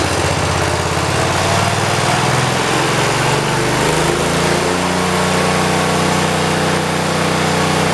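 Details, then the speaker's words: 1973 112 garden tractor engine with new points, coil, condenser and carburetor; the plug wire has a cut that looks like dry rot. Steady run with a faint occasional stumble: the misfire is milder but remains, only with the clutch pushed down, and it runs well with no load. "still got that miss, but it's not as bad. Kind of tempted to go down, maybe just go down one with it and see if going down one helps any better, to try to get that miss out of it. It's still got the miss to it. It's not as bad."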